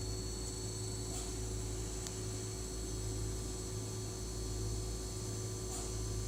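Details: New Sears Kenmore model 51833 refrigerator, with audio normalized and then reduced to a quarter of its volume. Steady low mains-pitch hum with a faint buzz, unchanging; runs loud, compressor noise suspected but the source is unconfirmed.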